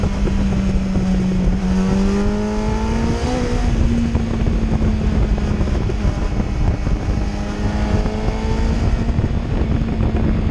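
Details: 2008 Yamaha FZ1 after an ignition coil replacement fixed a misfire-like stutter under 4,000 rpm: smooth, even four-cylinder drone with clean rises in revs and no stutter or hesitation.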